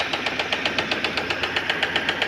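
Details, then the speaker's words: Fiat Siena retest, oil light off but engine still knocking at the front, risk of breaking if pushed: sharp, evenly spaced knocks about seven or eight a second over idle; rod knock, engine to be opened, head removed. "Aí tá batendo o pistão, né? Aí, pelo jeito, não tem o que fazer se não abrir o motor, ó. Aqui não vai mais, ó. Motor tá batendo. Se forçar, quebra."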